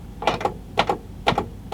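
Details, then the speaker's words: Sony CFD-G500 boombox, cockroach-infested and corroded, after cleaning and power-up: paired sharp clicks repeat about twice a second with no audio output while the display shows woofer; a dead amp chip was suspected, cause not confirmed. "I can hear it clicking. Why have we got no audio out of it? It says woofer on the display."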